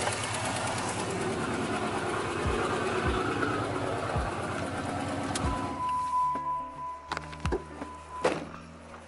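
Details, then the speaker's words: 2006 Dodge Charger 5.7L Hemi V8 idling until shutdown: light ticking about three per second; exhaust leak between cylinders five and seven, RTV sealant applied as a fix. Exhaust leak ticking. "let's try it one more time start it up [Applause] nope still still still ticking blew right through it damn blew right through it boom right through it god damn it that go to smoke it's leaking between five and seven and it just blew right through it"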